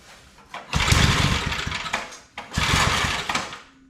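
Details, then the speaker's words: Old Briggs & Stratton 5 hp wood splitter engine, started without choke after more fuel was added; two one-second bursts of firing that die out, stalling. Owner wonders about fuel or spark; spark present, plug carboned, so fuel problem. "Oh, she don't want to run at all."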